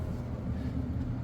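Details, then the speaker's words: Furnace blower running after its falling-apart blower wheel was replaced: steady, even low rumble, quieter than before, with no knocking, scraping or wobble; normal running. "It's not as loud as last time, but it's definitely on. It's definitely running. You know, you no longer have the noise coming from this thing as it's falling apart."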